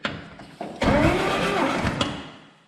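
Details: Dodge Power Wagon 230 cu in engine, cylinder six previously had no compression, cranking after head reassembly for a compression test: steady even starter churn, no missing beats; now reads 125 psi.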